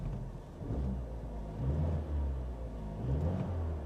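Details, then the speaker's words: Buick Cascada, 47,000 miles, parked a year with a probably weak battery: deep smooth rumble rising and falling cleanly with throttle blips, no ticks or knocks; engine sounds healthy, drives forward and reverse; normal running. "she sounds healthy she does she goes backwards she goes forwards"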